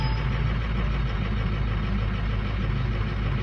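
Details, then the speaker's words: 2006 Ford lariat diesel truck, 146,000 miles, cold start: heavy lumpy uneven idle, injectors two and four weak and over-fueling the rest to compensate; number eight possibly also weak. "you know we're really not going to see them right now because it's over fueling the hell out of everything trying to pick up number two and four"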